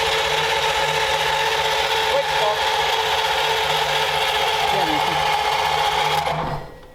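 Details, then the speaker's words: 1932 roadster first start attempt, steady high electric whine holding one pitch about six seconds then cutting off; starter stays engaged, something sticking on, possibly the solenoid, not confirmed. "H so that was exciting we had a uh something was sticking on we're not sure if a solenoid was uh"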